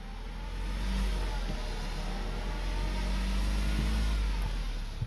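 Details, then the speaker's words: 2011 Jeep Patriot CVT in park, faint whine swelling and fading as pedal is pressed, engine not responding to pedal input; transmission suspected failing, possibly solenoid, unconfirmed. "I wasn't expecting this to happen I was even going to make a video today but you can hear the whining"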